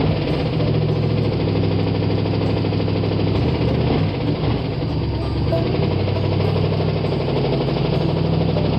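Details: Carbureted V8 started after sitting all winter, idling rough on seven cylinders: steady deep knock in time with idle, a rod knock.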